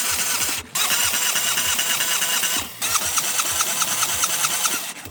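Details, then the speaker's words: AU Ford Falcon six-cylinder cranking with all plugs removed for a compression test during a no-start diagnosis: the starter spins at a steady, even rhythm. All six cylinders read about the same, so compression is normal and even. "All the cylinders checked out, so that's a very good thing. They are basically all the same, so that's perfect."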